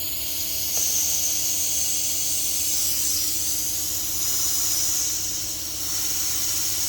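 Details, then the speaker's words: Turbo Civic (600 hp) with low oil pressure, oil feed line to top of turbo removed and blown through with compressed air: steady, unbroken high hiss with no sputter or choking; line flows freely and is clear. "It's pushing out? Yeah, oh yeah. It sounds like it's flowing pretty freely."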